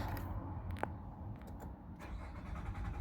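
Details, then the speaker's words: 2024 Nissan Pathfinder R53 that cranks but will not start, before repair: the starter turns the engine over at a steady low churn but it never fires; the 20 A fuel pump fuse in the IPDM is checked next. "Still no starting. So bali na dito na tayo sa ating IPDM."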